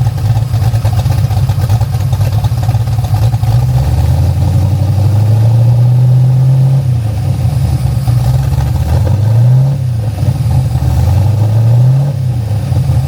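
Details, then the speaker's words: 427ci Ford Racing small-block V8 with MSD EFI in 1974 DeTomaso Pantera GTS, heard from inside the car; deep even burble rising and falling with revs, no belt squeal; normal running. "All right, so we're inside the Pantera now. You can hear there's no belt squeal."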